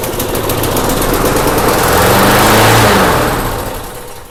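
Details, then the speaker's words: Snapper mower with a badly leaking fuel tank, fuel poured into the intake: engine picks up speed, holds a few seconds, then fades and dies; it is not getting fuel on its own, carburetor suspected. "Just dump a little fuel down there. Let's see if it starts. And if it does, then we eventually needed to address that carburetor."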